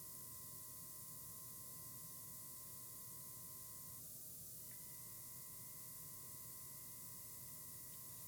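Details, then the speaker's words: YC Onion motorized camera slider at slow speed (30; noisy below 50%): a faint, steady high hiss or whine throughout that cuts out briefly at the end of travel, then resumes when it restarts. "when it's at the slower speed the motor actually tends to hiss or hum so we'll do you know about 30 seconds of silence and you'll be able to hear the uh the changeover for when it hits the end to when it restarts"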